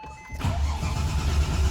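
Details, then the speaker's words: Porsche 996 GT3 cranking with fuel pump fuse C4 pulled to build oil pressure after new timing chain tensioner, plugs and coils: steady starter churning with even low pulse and no firing, cranks freely as expected. "Let's crank it. Obviously it's not going to start. Again, I'm just building oil pressure in that tensioner I just put in there."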